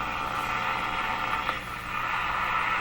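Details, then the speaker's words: Moffat (Crosley) G2465 five-tube radio, first power-up at about 91–100 V through a dim-bulb-type limiter: steady buzzing static with a faint whine between stations and a brief crackle. Local shop electrical interference is being received. "so that that sound is a interference sound I hear in my shop all the time"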